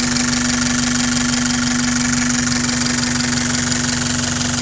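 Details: Toyota 5S-FE engine at idle: strong constant tone near 240 Hz riding over the engine; weird abnormal noise, cause not known.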